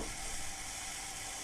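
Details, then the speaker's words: 1964 IBM 214 portable dictation machine after repair (stretched slipping drive belt replaced): steady soft hiss with faint low hum, no knocks or wobble; normal hissy drive motor sound, vanishes when motor stalled. "you may have noticed what sounds like hiss on some of these recordings that's actually the sound of the drive mechanism and in particular the motor it's a very this sort of hissy sounding motor"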